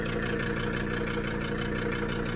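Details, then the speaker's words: 1982 Mercedes 300SD turbo diesel, sat about two years, just revived: low diesel clatter at idle with a slightly uneven, lumpy beat; rough idle, owner plans a diesel purge to smooth it, cause unconfirmed. "i'll probably do a diesel perch on it and see if we can get uh that idle to smooth out a little"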